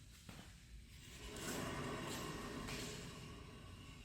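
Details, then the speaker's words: 2013 Subaru XV Crosstrek, 119,000 miles, on a lift: hand-spun rear wheel gives a swelling dry rumbling grind that fades as it slows; heavy grinding expected to cause loud highway humming from the back; rear wheel bearing grinding. "this is heavy heavy grinding and that at the highway speeds will cause real real loud humming from the back"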